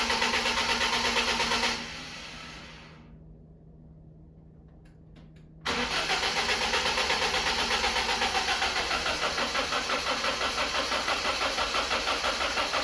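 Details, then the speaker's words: BMW E36 on its first start attempt in 6 months after restoration: even cranking pulses at roughly three a second that never catch or fire. "that's not so good. Why is that not starting?"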